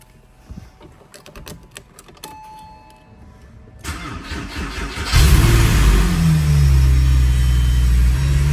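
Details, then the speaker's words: Porsche 911 after a power steering pump job, engine started: a steady moaning whine holds over the idle. It is caused by air in the system, with bubbles seen in the reservoir; the owner worried the reservoir-to-pump connection was wrong. "so this is the sound that I was referring to earlier terrible sound that sound you hear typically means that there's air in the system"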